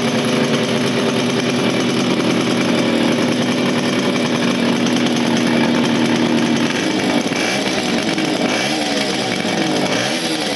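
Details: 1975 Motobécane Motoconfort 125 LT2 two-stroke, first start after restoration following engine failure in late 1990s, new crankshaft and gearbox bearings: steady crisp buzz, even firing, a few throttle blips near the end; running clean.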